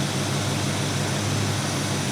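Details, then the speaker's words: 1979 Chevy K10 square body V8, left to rot in the woods for years, first start while dialing in the carburetor and timing with a vacuum gauge; owner suspects a vacuum leak: smooth, even low idle rumble with no knocks or misses, sounds healthy. "The motor sounds really good."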